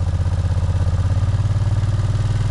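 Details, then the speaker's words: 2004 Suzuki Volusia Intruder limited-edition V-twin with new quiet pipes, cold start after a day unused, on choke: even, steady low thumping at a fast choke idle with no misses, knocks or rattles; normal cold idle. "now it's cold I haven't had it running all day so usually when that happens you have to choke it pretty good"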